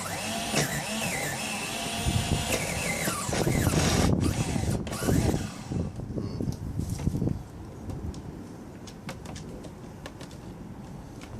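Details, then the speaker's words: Homemade 6-wheel nitro RC truck, converted from pull start to electric starter box, batteries drained: fast whirring starter spins the engine for seconds without catching. Owner can smell it trying to catch; fuel looks fine; dirty glow plug suspected. "Could like smell it, could like hear it, just trying to go blah, blah, blah. But it didn't actually like kick up or anything."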